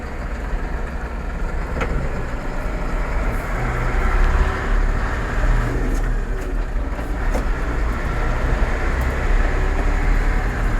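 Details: Massey Ferguson 4708 tractor running with a heavy, rough low rumble and faint clatter from the gearbox; gearbox noise problem.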